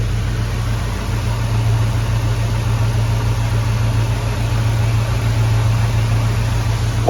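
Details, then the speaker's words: Hemi V8 swapped into a Grand Wagoneer while chasing a bog/low-idle problem that appeared once warm: a deep, steady idle with an even exhaust burble, no sagging or stumbling over seven seconds, sounding healthier. Whether the fix holds is not yet confirmed. "The motor sounds healthier. I actually hear the exhaust now."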